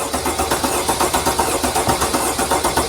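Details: 2017 Freightliner Sprinter 3.0 L diesel that shakes, loses power and keeps misfiring after the customer replaced two injectors; cranking rhythm is lopsided, about four beats a second with one stroke lighter, pointing to a dead-compression cylinder despite an earlier compression check seeming fine.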